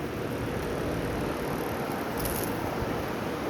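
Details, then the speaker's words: 2011 Carrier HVAC condenser running after run capacitor replacement; steady even fan and compressor hum, no rattle, buzz or hesitation. Normal running, fixed. "It's running. Compressor is fixed."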